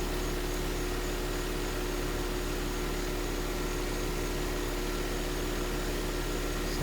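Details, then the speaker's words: Carrier heat pump outdoor unit, up and running and cooling: steady even fan rush over low electrical hum, no rattles or surging, normal running. "all right so it's up and running and cooling and i'll show them some pictures"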